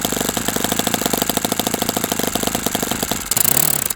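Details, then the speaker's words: OS FS60 model engine first run: rapid even popping at idle, brief surge, then cuts out; low-speed needle mixture suspected too lean, needle turns easily, possibly moving on its own. "So, I don't have a good mixture setting there. It looks like that one might be a little bit a little bit too lean, so let's fire this thing back up again."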